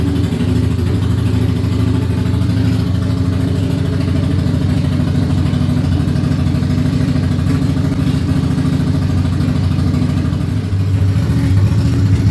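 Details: Ducati Monster 695 café racer on its first start after custom rewiring, new ignition coils, HT leads and handlebar switches: loud, deep, lumpy V-twin rumble holding steady throughout with no misses or knocks; healthy idle.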